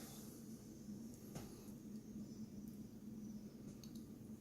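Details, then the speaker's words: Refurbished Asus prebuilt i7 6700 PC at first power-on, rear fan still unplugged: faint steady low hum with a soft airy hiss, no ticking or rattle; fans spinning up quietly and normally. "It's not loud at all."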